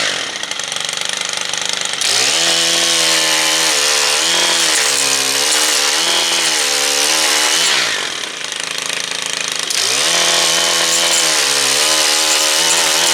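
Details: Stihl trimmer/edger/hedger two-stroke after clutch service, seized clutch cleaned and reassembled: high-pitched engine screams up and drops back to idle smoothly several times, steady and clean; healthy running.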